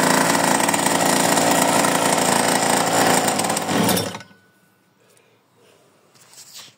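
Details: Mini bike's first start after 30 years stored in a barn, with new spark plug and cleaned carburettor: small single revs high and steady with an even, rapid beat for about four seconds, then shuts off cleanly; runs healthy.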